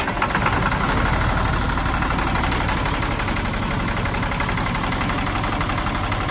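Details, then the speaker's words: 1997 GMC 7500 bucket truck, Caterpillar 3116 diesel, first cold start at 32°F, no starting fluid, no coolant: rough, uneven idle with light irregular knock about four per second over clatter; owner attributes it to cold, cold diesel knock. "It does run. Doesn't sound bad. No. Knocked a little bit there, but it's cold, so."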